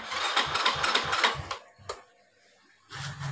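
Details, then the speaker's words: Yamaha Xeon scooter whose starter sounded rough from a dry starter motor, after greasing the starter: quick even cranking bursts about three turns a second, no grinding; starter now normal but engine doesn't catch because it is out of fuel. "Oke, coba ya, sudah tidak bunyi kasar ya starternya, sudah normal ya."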